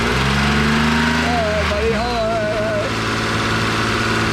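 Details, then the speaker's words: BMW E36 convertible with fresh oil after an oil pan replacement, idling on stands: a steady, smooth low drone with no rod knock or tapping. An exhaust leak is present. Normal idle. "normal normal noise no leaks runs good"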